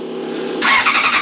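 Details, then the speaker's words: Old Honda CBR600 carbureted track bike, first start attempt: fuel pump whirring hum, then quick even cranking pulses about ten a second, seems to want to go but won't run; carbs to be cleaned; stale fuel suspected. "but it sounds like he wants to go so what we're going to start with here is I'm going to strip it all down take all the fairings off take and tank out get to the carbs we're going to give the carbs a clean out to start with see if we can get it running to start with"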